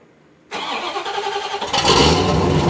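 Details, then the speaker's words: C4 Corvette cold start after sitting 2–3 months on a battery tender; cranks briefly, catches cleanly and settles into a steady, even idle, with smoke from the exhaust tips; a healthy cold start. "But from inside the car, it sounded like it was a pretty legit cold start if you ask me."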